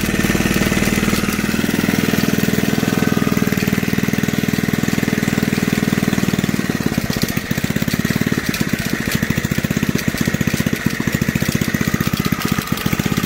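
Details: Junkyard Briggs engine on an old reel mower, just revived; a smooth hum, then a hard, uneven clatter of about four beats a second once revved, and the owner suspects the old recoil starter, after which it turns crabby.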